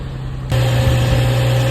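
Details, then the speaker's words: Car settling into smooth steady idle right after starting on a new group 35 battery (490 CCA minimum, G35), fired up right away; charging then measured at 14.66 volts, within spec; even low hum, no knocks, normal idle. "It started up right away, fired up right away."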